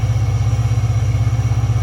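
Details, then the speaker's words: Diesel truck on a cold start with a tune that raises the idle after about a minute to near 1,000 rpm: fast, even clatter and low rumble with no misses or knocks. A normal warm-up high idle. "You can hear that high idle after about a minute or so. Kicks up to close to 1,000."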